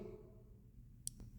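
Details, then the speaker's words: Nova sliding thumb control (amptrol) on an Everlast MTS 275P welder: single crisp click in a quiet room from the slightest nudge; the start switch beside the amperage potentiometer trips far too easily and can light the torch. "the slightest little movement, you know, you're rolling you imagine that with your you got a glove on, right? Slightest little movement,"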